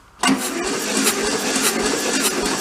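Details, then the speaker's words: VW Beetle convertible parked since 1995, compression test on a cylinder reading about 50 psi: steady cranking with even pulses and a faint hiss each stroke; air escapes past a poorly threaded tester fitting, and the plug-hole threads may need chasing. "Yeah, I can hear it leaking down there. That's not a good number, but it ain't great neither. It's at 50. Might have to chase the threads on that plug hole."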